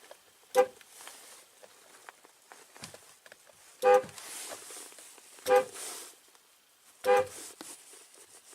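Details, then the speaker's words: 2004–2008 Ford F-150 horn after reinstalling the steering-wheel horn pad to address a continuous-honking fault. Pressing the corners honks but the middle doesn't. Four short clean honks, silent between presses: horn working normally. "the same pressure in the middle does not cause it to honk but on the corners it definitely does"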